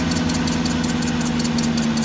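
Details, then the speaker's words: 2007 Cadillac DTS at cold idle after water pump replacement and a Dex-Cool refill. A thin, constant scrape rides above the engine hum, coming from the power steering pump pulley; it goes away once the pulley warms up. "That scraping noise you hear is that power steering pump pulley over there. When the pulley warms up, that noise goes away."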